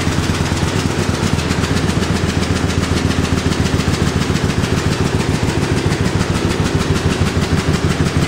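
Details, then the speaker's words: John Deere A tractor running on one cylinder: the #2 (right-side) plug wire failed with its clip broken off inside the mag cap, so that cylinder has no spark. Slow, lumpy, uneven thumping idle. "you can hear how she sounds on one cylinder it's about just as can tankers starting this with one cylinder as with two"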